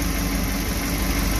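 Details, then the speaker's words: Suzuki New Carry after overheating repair and timing chain install, engine warming up: low, slightly uneven shaking idle, not perfect; mildly rough idle below about 1000 rpm, something in the engine suspected. "tapi memang tidak sempurna. Ini tidak sempurna."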